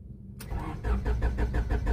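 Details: Honda Civic petrol engine cranks steadily, about six pulses a second, but never starts; fuel pump primes and check engine light is on, but no power to the ECU, caused by a blown ECU main fuse (simulated fault).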